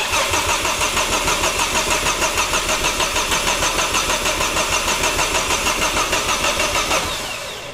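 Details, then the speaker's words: Ford Focus ST after turbo refurbishment, new cam belt and a service with fresh oil and coolant, cranked with a relay pulled so it won't fire: even starter cranking about three beats a second, no knocks, then winds down. Healthy crank. "well that's a good sound so if you haven't got any knocking noises coming from the engine so I reckon just put the relay in mate just fire it up"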